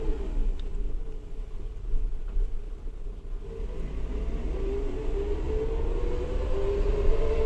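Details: New Suzuki Jimny in low range: a steady mid-pitch whine rising with speed during acceleration and deceleration over a deep drivetrain rumble; transmission whine suspected, not confirmed.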